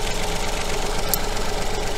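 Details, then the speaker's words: Coil-on-plug engine idling with a fault put on one cylinder's coil: uneven, lumpy pulse and recurring stumble in the low rumble; one dead cylinder misfiring, suspected to change the second part of the ignition pattern. "the change in that second part of the pattern is down to the fact that there's no combustion taking place in that cylinder"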